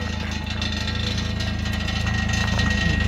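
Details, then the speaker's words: 2000 Jeep Wrangler with 140,000 miles at steady low idle with a light buzzing rattle from the exhaust, not serious. "you hear that rattling noise that's the exhaust there's nothing to be alarmed about"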